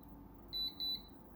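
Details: Programmable electronic load testing a 1.5 m USB 2.0 extension: two sharp high beeps in a quiet room as undervoltage cutoff trips raising current toward 300–400 mA; cable limit 360 mA versus 500 mA standard.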